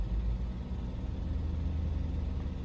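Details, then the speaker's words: Audi A8 V8 after engine swap, idling with spark plugs possibly 140,000 miles old: low steady rumble with slightly uneven pulse; codes show cylinder 5 misfire disabled; owner assumes dead coil pack, maybe injector, raw fuel smell; engine misfire at idle. "so cylinder 5 is our one with I'm assuming just a dead coil pack"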